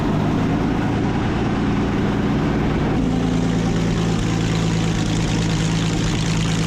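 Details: Original WWII Maybach HL230 V12 Panther tank engine after tune-up and lowering idle via the accelerator linkage; deep, steady rumbling idle with even low beat, no knocks or misses; normal idle.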